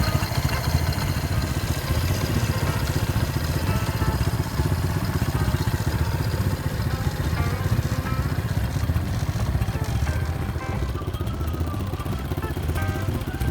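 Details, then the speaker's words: Honda Wave/Innova/Supra/Revo/NF 125 motorcycle engine after short assembly: a low, busy thrum with a loose, uneven rattle over the running engine, source unknown; rattling noise. "as you can see the glitch doesn't work and you can hear some rattling noises"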